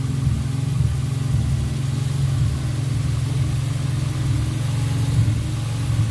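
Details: Car driven after its fuel injectors were cleaned and flow-tested, which had caused a 3,000 rpm idle with a lean spike; a deep, even engine drone with a smooth, steady pulse and no hesitation or odd noise while revving. The earlier fault is gone with the clean injectors.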